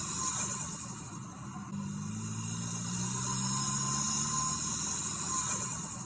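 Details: 2024 Toyota Tacoma Trailhunter heard inside the cab under throttle: steady airy hiss and rising engine drone from the turbo and high-mount air intake (snorkel), possibly a blow-off valve (unconfirmed); loud but normal intake and turbo noise.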